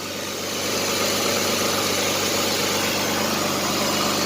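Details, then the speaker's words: Jeep Liberty, 201,905 miles, somewhat worn engine same as 2005 Grand Cherokee: steady even idle hum, no knocks, misses or surging; owner thinks it runs slightly smoother after changing some wiring; had earlier failed to start once. "Maybe running a little bit better after we changed that wiring in that one part. It sounds a little smoother to me."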